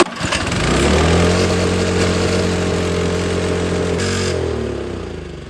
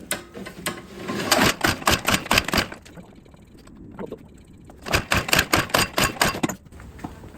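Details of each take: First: Snow blower small single that sat all spring and summer on ethanol gas and wouldn't start; gas changed, carburetor cleaned. Pulls up smoothly and settles into a steady, even run with no misses or surging; normal running after carb cleaning. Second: Snow blower that sat all spring and summer with ethanol gas, fuel already changed, no air filter: two bursts of recoil pull-cord clicking with no firing; cranks but won't start, fuel not reaching through clogged carburetor.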